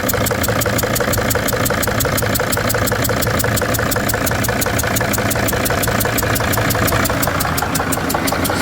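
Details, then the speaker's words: Freightliner van diesel: sharp puffing ticks about three per second over a rough idle as compression blows past the loose injector, spraying diesel everywhere; run only seconds. "I'm going to start this thing up real quick and just let it run for a couple seconds cuz it makes a big mess quick."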